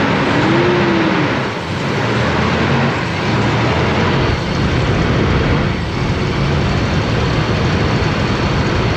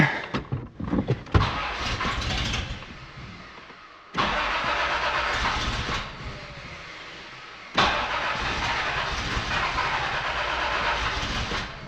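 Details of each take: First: Toyota 4Runner 3.0 V6 after head gaskets, valve adjustment and timing belt, timing not yet properly set. Steady, even running with no stumble amid outdoor noise. It sounds like it's on all six, only slightly smoking for now: normal idle. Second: Toyota 4Runner 3.0 V6 during head gasket and timing belt work. It cranks and catches, then revs in lazy, uneven surges with a flat, choked note. Ignition timing is too retarded, out of advance, and the distributor is being adjusted (possibly a tooth off).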